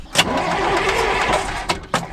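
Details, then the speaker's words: Abandoned John Deere 6600 combine, cold morning, batteries hooked up: starter grinds the engine over about a second then drops out with sharp clunks, repeatedly cutting out; ground wire moves, starter then smokes; cause suspected, not confirmed. "It keeps kicking out on its own. Whoa. What? Hit it one more time. Dude, the ground wire moves."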